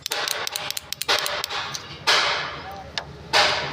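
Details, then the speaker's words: Honda CG 125 special edition 2024 with a self-start fault, starter relay wired to a battery; sharp dry ticks in short bursts each button press in a quiet background, relay clicking but nothing cranks, relay suspected. "यह देखते देखना यह टक take करती है मैं button दबा रहा हूं इधर से यह आवाज सुन"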